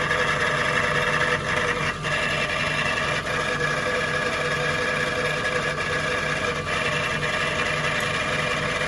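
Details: Jaguar XK8 V8 at idle, heard from under the car near the transmission: uneven metallic rattle grows much worse with A/C engaged; A/C compressor clutch, power steering pump or idler pulley suspected, unconfirmed.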